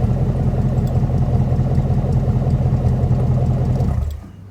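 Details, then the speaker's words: V8 engine with homemade exhaust, running before removal for the square-body Suburban, after a cold start: deep, steady rumble held at higher revs then dropping off cleanly, no knocks, ticks or whine; normal idle and revving. "I have to say, it does sound pretty good. I'm proud of myself for the exhaust that I made on this thing. Oh yeah."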